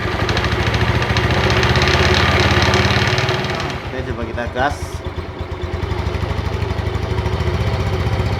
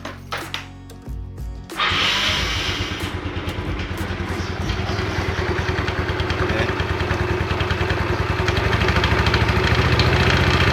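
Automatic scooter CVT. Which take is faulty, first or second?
second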